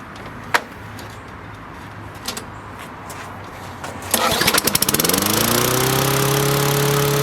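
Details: Tecumseh-powered Toro Recycler lawn mower, dated to no later than 2008: catches on the pull, hunts briefly, then settles into a steady, even drone that holds speed; running properly.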